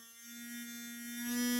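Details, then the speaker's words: Wltoys Q333 Future One (DJI Inspire clone) drone, shortly after power-on with battery: the fifth motor, the transforming landing-gear motor, hums at a steady pitch and keeps running uncommanded; landing gear fault. "करने से guys ऐसी आवाज़ आने लग पड़ती है और ये जो आवाज़ है गाइस इसकी एक मोटर की आवाज़ है। अब ये जो मोटर चल रही है गाइस, ये इसकी 5th मोटर है।"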